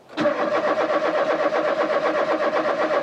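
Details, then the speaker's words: Rover 216 Cabriolet, cranking on a charged capacitor booster, fuel pump heard working; starter churns about four cranks a second for three seconds, nearly catching but never firing; rotor and distributor cap then changed; crank no start. "it's nearly going it's almost there why aren't you starting your stupid car"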